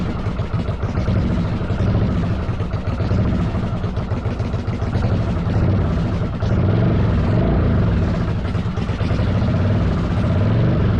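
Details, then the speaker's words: 1995 Yamaha Virago 1100 V-twin, half choke, after EGR/intake cleaning: loud, lumpy idle with an irregular wandering, surging beat; ran better, but carbs suspected unsynced, timing thought unlikely. "sorry about that that was super loud makes me think the carbs aren't synced I don't think it's a timing issue"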